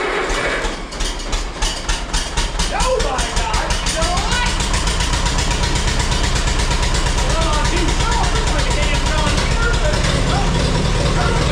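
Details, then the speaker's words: 1952 Allis Chalmers WD four-cylinder tractor, converted to 12 volt with 3 ohm coil, first start after sitting in the shed: low uneven lumpy idle, possibly missing a cylinder; owner hopes it picks up and plans a tune-up, points may need filing. "Hopefully it'll pick up that four cylinder here. Usually does. I I need to get this over to the shop and give it a real tuneup just to make me feel better."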